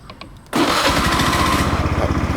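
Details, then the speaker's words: 2011 (BE 2554) Honda Scoopy i scooter with new tyres and fresh engine and gear oil, cold start: quiet, then the starter catches and it fires at once into an even, steady idle; starts easily, no problems. "ติดง่ายๆโอเคนะครับไม่มีปัญหาอะไรเพิ่งเงียบๆนะครับ"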